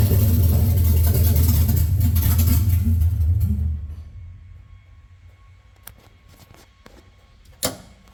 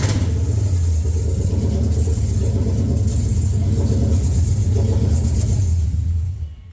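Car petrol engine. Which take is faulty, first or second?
first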